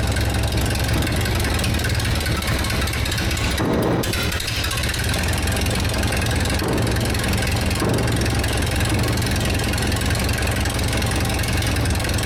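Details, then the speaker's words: 1947 LeTourneau D4 pull scraper engine, sat 10+ years, first start with some choke, transmission in neutral: uneven, lumpy idle with a brief stumble; rough running, owner suspects the carburetor needs adjustment and the throttle control isn't working right. "All right, well, I think we have a little bit of fine-tuning on our carburetor to do here, and I don't think the throttle control is working quite right, but it runs."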